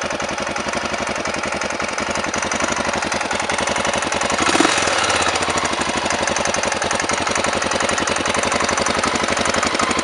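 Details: Honda NX650 single-cylinder engine with knocking and smoke: sharp, rapid ticking knock that stays constant while it runs; cause unknown.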